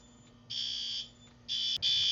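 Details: System Sensor i3 smoke detector tested with sprayed smoke during the yearly fire alarm test; a loud high-pitched tone sounds in steady bursts with short gaps as the system goes into alarm; fire alarm activation.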